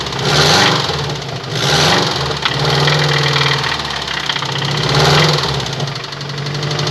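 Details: Subaru Impreza WRX bugeye boxer engine idling and blipped, deep knock riding the engine rhythm and swelling with each rev; classic worn rod bearing knock.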